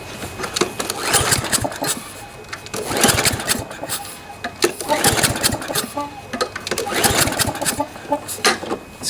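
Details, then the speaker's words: Toro lawnmower with Briggs & Stratton 7.25 163cc OHV engine, spark plug cap off, pull-cord cranked without firing: a rasping puff at each slow turn, suspected blown head gasket though it runs perfectly. "kind of a puffing sound uh i don't know if you can pick that up on the camera but uh you know it sounds like it has a blown head gasket even though it runs perfect"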